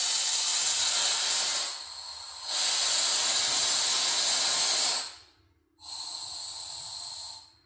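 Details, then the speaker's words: Square-body Chevy C10 with newly installed air ride, front at full lift: loud steady air hiss for about five seconds, a short pause, then another burst as the air bags vent down normally. "So that is full lift, and that's actually pretty good. That's a lot of lift. So let's see how low she's going to sit on air."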